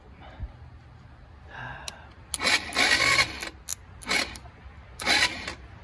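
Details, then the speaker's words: Free ATV quad with non-working start button, solenoid jumped: three short choppy bursts of starter cranking with quiet gaps; turns over but never fires, spark later confirmed. "You see it starts, or it tries to start. So why isn't the button working is the real question."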